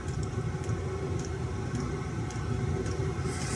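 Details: Chinese diesel heater after main board replacement; the fault was heating then shutting down with the pump switching off: steady low fan rumble with the fuel pump ticking about twice a second; running normally.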